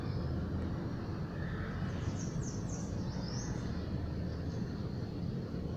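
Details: Car driven after the loose engine mount and its bracket were refitted, following a clutch kit replacement, to cure a knocking noise over bumps and when braking: steady road rumble and wind with no bangs or knocks.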